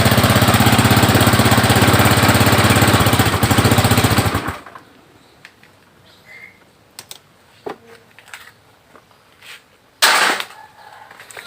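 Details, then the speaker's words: Honda Click 110 carbureted scooter, started with the faulty ignition switch bypassed by a jumper wire: steady single-cylinder putter idles evenly about four seconds, then cuts off cleanly when the wire is pulled; key switch found bad. "ครับอ่าผมสตาร์ทรถได้นะครับตัวนี้เพราะว่าผมใช้สายไฟพ่วงไว้นะครับต่อตรงไว้นะครับ"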